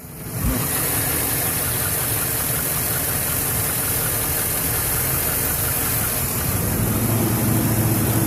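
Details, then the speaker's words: 2011 Chevy Silverado 5.3L, 126,000 km, hard start after sitting 8 hours, valve cover with built-in PCV recently replaced; uneven low idle with shudder and faint ticking about three per second after knocking on startup, cause unknown: rough idle with ticking. "And there's that lovely clicking noise. So yeah, that's what it is doing, and I'm not entirely sure what the hell it is."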